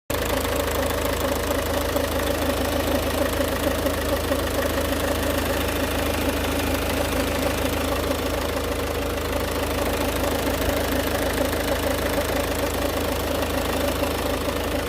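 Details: Ford Focus Mk2 1.6 TDCi 109 hp diesel idling with a faint rough rubbing, grinding noise near the left engine mount, sometimes going away, car drives normally; high-pressure pump or water pump suspected; timing belt kit changed 95,000 km ago.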